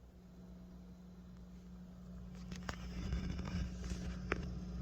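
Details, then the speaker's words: Two guitar/bass amplifiers on the same power strip, with one slaved from the other's send, produce a low, steady mains buzz that stops when the cable is unplugged. Cause: a ground loop from circulating ground current between the amps. "you hear that little bit of buzzing in the background if I take it out it goes away that is called a ground loop it's basically circulating ground current on the earth ground lug of your power here"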